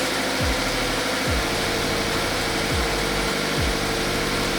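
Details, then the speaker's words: Subaru BRZ FA20 after repair of a mysterious knock blamed on a missing direct injector seal, reassembled: even, ultra-quiet idle with steady low hum, no ticking or stumble; normal idle, no fuel smell or visible leak. "And it sounds really quiet too, which is nice. It sounds ultra quiet."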